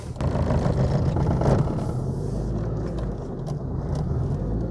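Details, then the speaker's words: 2004 Proton Satria LXI 1.5 petrol, warm after running a couple of minutes: uneven, stumbling low beat as the engine misfires badly while driving, likely behind the engine management light. "You can hear that it's starting to have a little bit of an engine problem. Starting to misfire. That's That's probably what the engine management lights all about."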